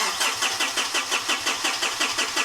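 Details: 2013 Mitsubishi Fuso FG truck, 4P10 diesel, no-start condition: even cranking at about four beats a second that never catches or picks up speed; turns over but won't fire.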